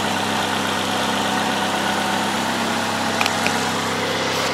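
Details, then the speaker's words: 2009 Ford Fusion 2.3L four-cylinder, 115k, after engine replacement for a bad knock and oil burning: steady smooth idle, even low hum, no knocking or ticking; noise gone, normal idle. "all right guys done there it is noise is gone check it for leaks let it run for a bit"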